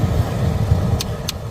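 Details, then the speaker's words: Dodge HVAC blend door actuator, uncalibrated after battery disconnect, ticking over low blower rumble with three sharp clicks about a third of a second apart, after repositioning the actuator gear; still ticking, being adjusted in quarter-inch increments. "oh it's still ticking okay so we're going to move it again"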